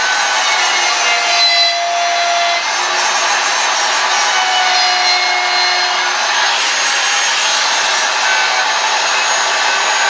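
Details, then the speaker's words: Worn router bearings going out: steady high-pitched motor scream with faint wavering tones while the bit, set just shy of a quarter inch, cuts a flat sign background; fine for backgrounds, not for profiling or detail work. "hear that sound that means the bearing's going out now I'm still using this router and I'm going to use it right now for the background but I would never use a router that sounds like the bearings are going out when I'm doing profiling or doing anything detailed"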